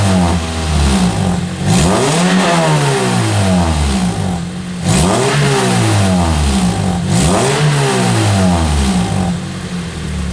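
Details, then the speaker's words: 2003 Pontiac Vibe GT with Toyota 2ZZ-GE four-cylinder, after repairing exhaust leaks at the rear: revved from 2,000 to 4,000 rpm and higher with a clean note and no ticks or rattles. The engine is healthy. "i'll give you a couple of revs to see what this thing sounds like 2000 rpm red 4 000"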